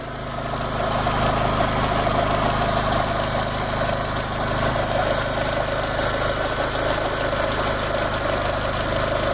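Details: VW GTI 20th Anniversary 1.8T turbo petrol idling during a Seafoam treatment, with a faint, uneven ticking puff over the hum from an exhaust leak at the turbo compressor-to-manifold connection.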